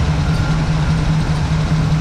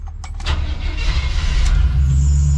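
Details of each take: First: Chevy square-body crew cab with TBI at idle after a tune-up with new cap and rotor; it had died and would not idle, and replacing the fuel pump fixed it: a steady, even low idle with no stumbling or surging, so the engine idles healthily. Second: Chevy square-body crew cab with TBI, right after a tune-up with new cap and rotor: catches, runs roughly about three seconds, then dies; won't hold idle unless throttle is held.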